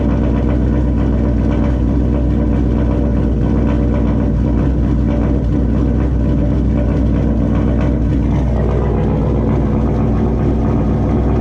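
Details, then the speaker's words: 2004 GMC Sierra with new Turbonetics 78/75 rear-mount turbo replacing a worn one that pushed oil past its seals, first start, idle only with intercooler piping disconnected: steady, even low rumble, no knocks, rattles or whistles; no oil leaks, sounds normal. "Fired up. Everything seems to be good so far. No oil leaks. Everything sounds normal, sounds quiet."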